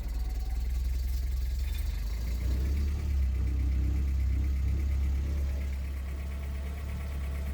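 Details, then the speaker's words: Uneven, wavering low drone of a 1983 Porsche 944 engine held on the throttle, sagging and unwilling to idle or restart because bad fuel remained in the injectors; runs better as fresh fuel comes through. "Yep, doesn't want to idle, but it's... Well, no, it still doesn't want to start. No, that's because it had the bad fuel in it."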